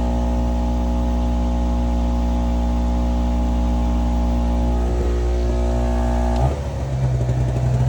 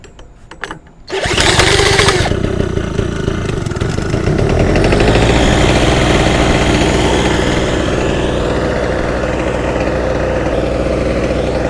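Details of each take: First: Small two-stroke Chinese generator of unknown history (label 1000 W peak, 850 W rated), adjusted with a slightly sticky linkage and over-volted, powering a heat gun at about 830 W: steady even drone with constant low hum holding speed; healthy under heavy load. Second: Small off-grid portable generator starting with choke on after oil was poured into the combustion chamber; it runs at a fast, slightly uneven beat with a wavering note, needs adjustment to reach proper voltage.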